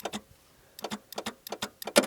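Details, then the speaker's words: 1982 Plymouth TC3 (Horizon), buried and unstarted for 32 years, starter wired directly with 12 volts: sharp dry clicks in short uneven bursts, roughly one every third of a second, engine not turning; suspected only the Bendix moving, starter not engaging. "Oh but I think that's just the Bendix I don't think it's actually engaging the starter"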